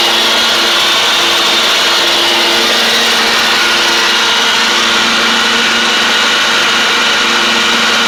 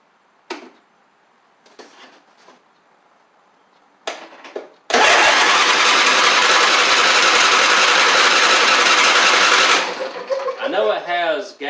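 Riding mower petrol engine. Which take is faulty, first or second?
second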